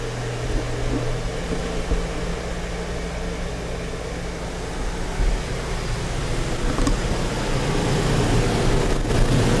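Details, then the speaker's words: Harbor Freight Predator 4400W/3500W generator running a 15K BTU RV air conditioner with soft-start help: steady, even drone rising only slightly as the AC kicks in, no surging or labouring; generator not struggling under load. "There it is, running. Generator does not appear to be struggling. I heard very little difference."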